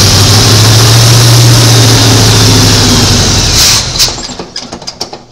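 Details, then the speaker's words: 1986 Chevy C10 squarebody after restoration assembly: engine catches, runs a few seconds, then sputters and dies in uneven coughs; fuel reaches the line, stuck carburetor float or plugged filter suspected. "Seemed to last longer. Doesn't make any sense because I didn't put any more gas in it, but try it one more time."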